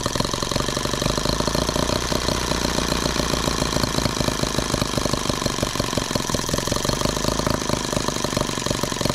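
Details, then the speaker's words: Microcosm H76 twin-cylinder engine after valve lapping and new rings, slightly warm, low speed: rapid, lumpy popping at idle with only one cylinder firing, misfire on the other; valve clearances unchanged, plug to be pulled to find which cylinder is dead. "try it again I guess you're missing again and we're back down to one cylinder wonderful"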